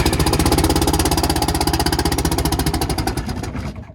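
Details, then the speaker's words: Bus 6V92 Detroit two-stroke diesel during rack and valve adjustment: rapid uneven firing, still missing on a couple of cylinders, then stalls; history of cold-start trouble; cold diesel misfire. "There it goes, there. Okay, it's still missing on a couple. I can tell."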